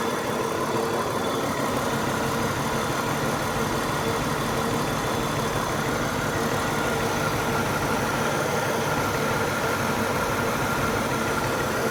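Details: BMW 328i at idle, owner suspects it is running on 5 cylinders (misfire). Steady but slightly lumpy idle with a faint uneven pulse under the hiss: rough idle.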